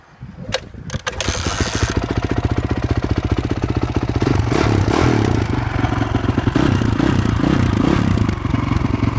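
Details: All-original, never-opened 2002 Honda CRF450R dirt bike single-cylinder engine: fires right up and settles into a crisp, even thumping idle with steady firing pulses and no odd knocks; runs healthy.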